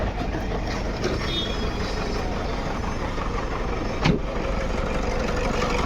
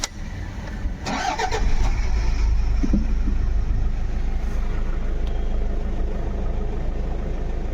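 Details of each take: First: Engine misfire at idle on a 2011 Toyota Fortuner diesel with pickup drop on acceleration and code P0200: rough, uneven idle beat from one cylinder whose injector wiring is damaged. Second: 2011 Toyota Fortuner diesel after open injector circuit (P0200) repair, restarted after clearing codes: cranks, catches cleanly, even idle without stumbles or misses; misfire solved, only diesel filter code remains.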